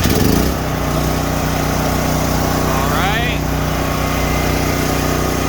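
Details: Home-backup generator on propane, push-button auto-choke start after opening the tank valve, circuit breaker off and no load. A short start-up surge settles into a steady, even buzz holding its pitch: a normal start and run.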